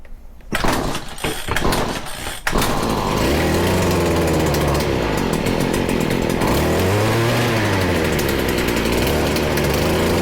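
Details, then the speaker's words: Stihl FS40C string trimmer during carburetor and idle-screw adjustment, choked and primed: after a pull start it surges and sags instead of holding a steady note. Rough running; the carb may need cleaning, unconfirmed. "still is having a hard time we very well might have to clean this carb it's getting better we are so close"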